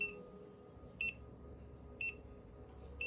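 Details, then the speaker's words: Xiaomi/Carrera 2.0 electric scooter after throttle replacement: single high beep once a second over faint hiss, no error code, motor spins but wrong speed; beeping stopped after swapping controller; controller fault. "But it's got this unusual beeping sound. And I've never come across this one, and it's not it's not really coming up with an error."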